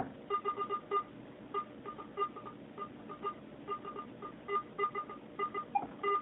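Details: Garrett AT-Pro metal detector air test, nickel at about 10–11 inches from the coil, visual ID dropping out but audio remaining. Broken, irregular high chirps in short bursts over a quiet background: a faint on-off signal near the depth limit.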